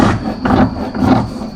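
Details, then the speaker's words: 2008 Polaris Ranger RZR 800 front differential turned by hand: gritty scraping rumble in uneven surges; owner suspects failing bearings and internal plastic sprocket damage, four-wheel drive reportedly not working; differential later found cracked. "I don't think that sounds too good in that differential."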